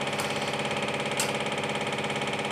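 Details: Steady motor hum with a fast, even rattle from an LFMG cap-dump generator rig (bearings changed, shaft and head from an old VCR); just the unit bouncing on the bench, not an internal fault.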